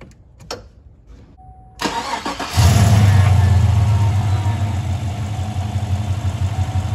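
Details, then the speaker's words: 2015 Chevy Silverado 5.3L V8, about 175,000 miles, fuel pump fuse removed before high-pressure fuel pump replacement: brief crank, catches at about 2.5 seconds and holds a steady low idle, not stalled yet. "i'm going to remove the fuse start the motor and then we're going to take the battery uh negative battery terminal cable off"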